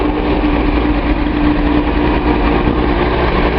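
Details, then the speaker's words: Datsun 280Z L28 six after a bad injector was replaced: a steady, even idle rumble with no skips, so the misfire looks fixed; the engine is still warming and the radiator is cold because the thermostat has not opened. "looking real good. I think we got that problem handled."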